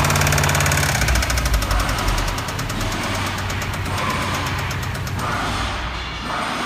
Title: Subaru WRX STI Spun Bearing